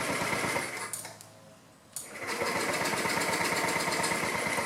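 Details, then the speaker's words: 2009 Honda Metropolitan scooter with a new carburetor and owner-fitted battery, after refuelling and reconnecting fuel lines: sluggish starter whirr drags with uneven chatter, never catching; battery too low to crank it properly. "Battery's low, and I don't have the charger. Let me see if I can kick start it."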